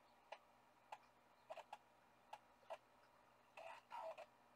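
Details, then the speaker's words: IBM ThinkPad 390 laptop booting a Windows 98SE boot floppy after a single POST beep: sparse light head-stepping ticks and short buzzing seeks in a quiet room; floppy drive reading normally. "the single post beep that's gotta be good I can hear it reading the floppy disk"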